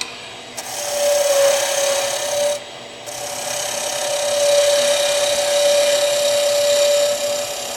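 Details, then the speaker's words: Skew chisel on a lathe, taking a deeper cut to taper the bottom of a turned leg: a steady rasping hiss with a faint high squeal that swells as the cut deepens, from heavy force on the bevel rubbing the wood. "You can hear the slight changes in sound. When you hear the high-pitched if you can still hear it, I don't hear it like I used to. Uh but that's because I'm taking a deeper cut and trying to get rid of wood and it's putting a lot of force on the bevel."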